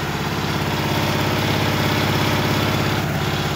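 Steady, even single-cylinder putter holding a constant idle without misses; the mower engine is running smoothly after the start.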